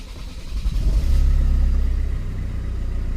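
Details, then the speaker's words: 2012 Kia Sorento 2.2 diesel in limp mode with loss of power, black smoke, codes P0087/P1186 low fuel pressure: slow laboured cranking about three beats a second before catching; customer's hard-start complaint. "so let's start the vehicle so you hear the customer complain where the vehicle is has the hard start"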